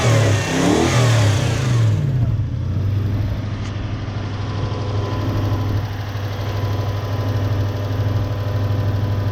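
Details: 1UZ-FE V8 Toyota Hilux with lack of power and poor idle, running on only some cylinders: after swapping ignition coils over, quick revs fall back cleanly to a smooth, even idle with more twang, no misfire stumble; all cylinders firing.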